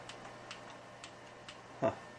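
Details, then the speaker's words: Yamaha REV5/REV7 reverb after power supply repair: switching stereo to mono gives a few crisp light relay clicks about half a second apart and one louder clack; relays working normally. "so you had me go off stereo mono I hear the relays clicking obviously"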